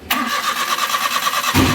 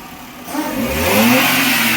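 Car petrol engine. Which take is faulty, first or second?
first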